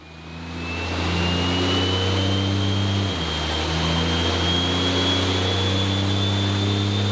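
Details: 6.7L diesel (D&J stage 3 head, second-gen swap) on a dyno after fixing a pinched-boot intercooler leak, 893 hp: deep, steady full-load roar, turbo whistle climbing smoothly, no hiss or flutter. Healthy pull.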